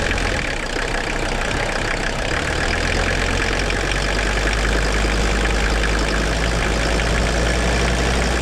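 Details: 1981 Mercedes-Benz 300 SD, OM617 5-cylinder mechanical turbo diesel, revived after sitting 5-10 years with replaced fuel lines: steady loud idle, firm low rumble and even clatter, no stumbling or surging; running properly.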